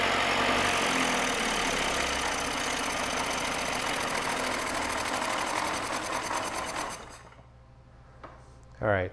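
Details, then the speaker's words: 1967 Mercury Merc 60 6 hp two-stroke twin outboard, pulled from the trash and likely unrun for decades, on choke: raspy high-revving buzz that sags and stalls after about seven seconds from an intake air leak. "So, even with that air leak, it ran surprisingly long, but it did stall out. And you could hear the change in the way the engine was running."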